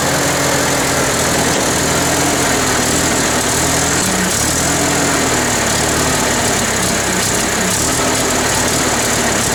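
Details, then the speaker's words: International Harvester 354 tractor petrol engine idling unevenly, spitting and sputtering after running well for a minute; carburetor cleaning didn't help, cause was ignition, fixed with new points and condenser. "So there you can hear it spitting and sputtering. It kind of will run good for a minute and then it'll start doing this."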